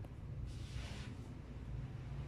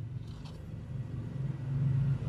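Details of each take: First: Sanyo one-door refrigerator that is not cooling though its light works: a steady low mains hum builds and holds without the compressor starting to run, drawing 2.6 A and getting very hot; the compressor is seized and only humming. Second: Sanyo one-door fridge, not cooling though light on, compressor switched on after repair work: low steady hum builds then settles smoothly with no clicking or stalling; compressor not seized, starts and runs normally.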